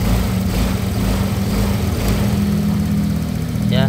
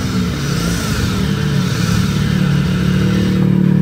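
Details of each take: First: Honda Vario 125 scooter after replacing the crankshaft bearings to cure a rough rumbling engine: steady, even, very smooth low idle hum with no knocking or rattle. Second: Honda Vario 125 scooter idling and revving with a coarse, low rumbling engine noise, typically from a worn crankshaft bearing, specifically the left-side one.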